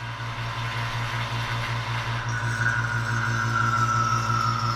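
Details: 2015 Subaru Outback after AC compressor replacement, vacuum pump evacuating the AC system with the blue then red valves opened, reaching almost -30: steady, even motor hum with smooth pulse, pitch shifting slightly as valves open; pulling down normally.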